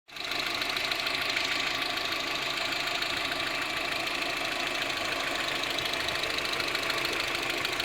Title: Ticking noise from engine in Audi A 6